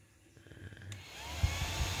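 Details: Old Yamaha Vixion with code 21 (ECT sensor reading -21 °C), radiator fan previously not turning: after ECT signals overheat, soft whir spins up steady with no rattle or scrape; radiator fan running normally.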